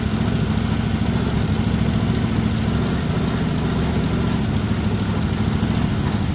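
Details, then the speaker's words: 1961 Mercury Meteor, 37,000 miles, first start after 43 years parked, fan belt cut because the water pump is locked up: uneven, lumpy idle with an irregular low thump; rough running, blowing oil from the missing fuel pump hole. "here. It's alive. Oh, it's blowing oil out the It's blowing oil out the hole here where the uh fuel pump's supposed to go. But by golly, she runs."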